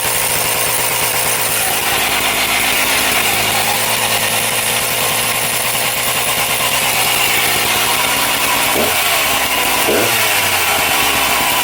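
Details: Husqvarna 268XP two-stroke chainsaw, freshly assembled, started stone cold: shrill, buzzy idle far too fast, roughly three beats a second, never settling and different every start; owner suspects cracked crank seals, unconfirmed.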